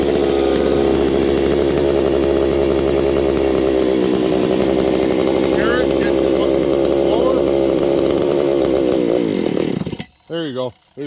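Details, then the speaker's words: Husqvarna 268 open-port chainsaw running lean: high two-stroke buzz wavers and shifts pitch when the crank seal side is sprayed, then cuts out; crankcase air leak at the crank seal. "our problem friends we have a leak on the Craig seal side"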